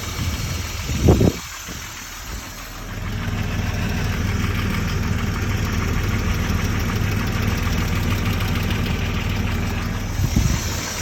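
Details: M50 2.6 stroker engine at a low, even idle after some handling bumps, with a dull rhythmic knock riding on the idle; the cause of the knock is unknown.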